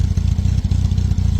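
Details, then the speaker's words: Freshly fitted carbureted donor engine, after about 5–6 miles: fast steady ticking clatter over a low idle rumble, also burning some oil; about half the valve clearances were way too tight, later reset per manual. "I've got a lot of lifter noise from the engine, which I need to sort out, and it is burning a bit of oil, that I can see from the exhaust."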